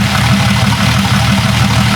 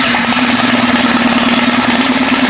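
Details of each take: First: Jeep 5.0 stroker build idling during cam break-in: steady, even, low idle with a smooth pulse and no valvetrain tick. Sounds healthy. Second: Jeep 5.0 stroker during pushrod/lifter fix: loud lumpy idle with rattly top end; exhaust temperatures show the middle cylinder at 220–230 versus 400, dead. Owner hopes lifters bleed down. Single-cylinder misfire.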